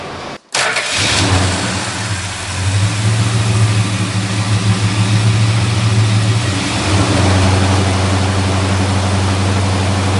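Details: 1963 Dodge Polara 330 with a 413 Max Wedge V8, dual four-barrel carbs, dual exhaust and 727 Torqueflite automatic: cranks, catches quickly, settles into a deep lumpy idle, and clean throttle blips rise and fall smoothly. A normal, healthy start and rev.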